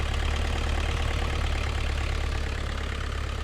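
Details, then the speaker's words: New Holland LS170 skid steer diesel idling after an oil, oil filter, fuel filter and air filter service: a steady low rumble with even firing and no knocks, ticks or misses; it runs healthy, no leaks. "Okay, we're gonna let this machine idle for a minute, and then we'll recheck the dipstick after I let it down on the blocks and get it onto level ground."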